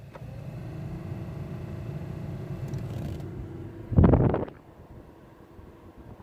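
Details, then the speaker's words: Fiat Doblò HVAC blower, previously inoperative, after fault finding and repair, tested at speed three: steady smooth medium fan whir for a few seconds then a clunk and quiet; blower now runs normally. "three beautiful as you can see it's blowing properly"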